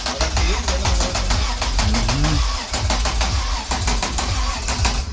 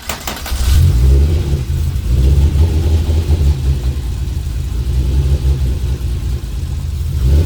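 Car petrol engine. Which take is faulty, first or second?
first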